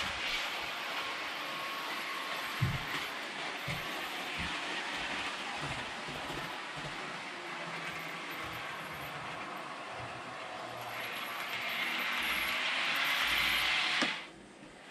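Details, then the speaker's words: Realtrack Class 156 OO model loco (RT156-312, 156497), Provincial SuperSprinter livery, after about an hour of running in: thin high squeak over the running hum, worsening within minutes as it laps; wheel squeal. "You can see there, first pass is starting to be squeaking a little more. After I've done this for a couple of minutes, it's going to be squeaking right back the way it was before."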